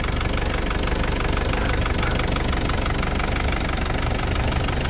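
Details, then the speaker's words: Isuzu Trooper 4JX1 diesel idling after injector and injection pump calibration plus new injector O-rings and washers (previously shaking misfire, low power, white smoke): steady, even clatter, no stumbling or surging; repaired, normal idle. "so kita naman natin ngayon at feel naman natin ngayon na wala nang nagtuya-tuya. Hindi katulad ng dati na sumayaw-sayaw yung makina."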